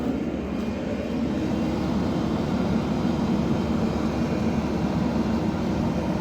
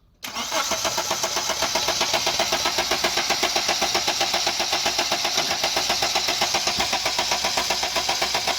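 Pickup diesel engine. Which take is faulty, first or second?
second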